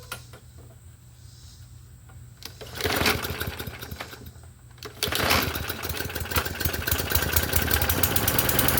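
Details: Murray 21-inch push mower with its gas tank and air cleaner cleaned, primed several times, starts on the second rope pull and settles into a steady, even run with no misses; running healthy.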